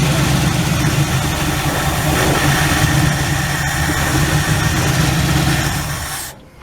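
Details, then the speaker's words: 1967 Ford Galaxie 500, 289 V8 two-barrel, just revived after 25 years: rough idle with uneven pulse for about six seconds, then fades and dies; owner suspects the fuel pump failed, diaphragm likely cracked. "For some reason it ain't pulling up now. Pump could have quit. That diaphragm is probably all cracked up in there."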